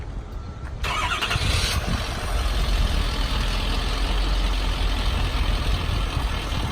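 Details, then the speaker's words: 2012 Ford F550 bucket truck, 6.7-liter diesel with full emissions, ETI telescopic articulated boom: cranks briefly, catches cleanly, settles into smooth, quiet, steady idle with no knocks or misses; normal diesel start and idle. "Very smooth and quiet truck. The 6.7 is a great power plant, and just doesn't have a lot of the problems that you see with traditional diesels."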